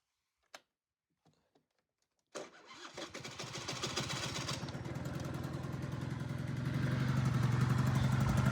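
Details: Honda Dio 34 two-stroke scooter after budget repair (needle bearing, fuel filter, exhaust gasket replaced) for crackling and knocking under throttle: fires up after a short pause and settles into a steady, even buzz; starts and runs cleanly.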